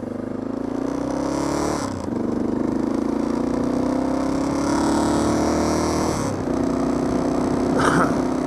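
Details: Honda XR650L dirt bike running rough, rising and falling with throttle, with sharp backfire pops while spitting fuel; owner suspects a stuck float.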